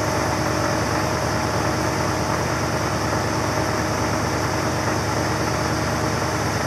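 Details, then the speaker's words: "Ol Green" after a cold start at 25 degrees in snow, warming up: steady, even idle with a smooth low rumble and no knocks, misses or squeals; running good, normal idle. "so there you go walgreens fire it up it's running good and we'll see what else is going on now for the rest of the day here I really do like the sound and really sound good"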